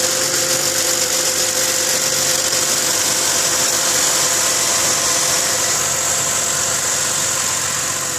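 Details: 2010 Ford Mustang V6: quick light metallic ticking about four per second over steady engine hum, only when very cold after sitting many hours, louder and faster with rpm, fading as it warms; lifters suspected, unconfirmed.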